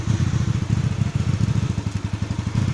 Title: GV250 Hyosung Rough Idle Issue